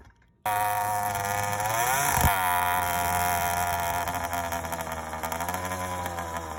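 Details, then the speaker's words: First startup of a YD100 two-stroke after reinstalling a Dio reed valve, newly ported cylinder and self-windowed piston, still untuned, recorded outdoors with the phone in a pocket. It fires right up into a crisp, buzzy idle that rises and settles smoothly, no misfires; starts easy, runs fine. "starts up easy though boy sounds good too"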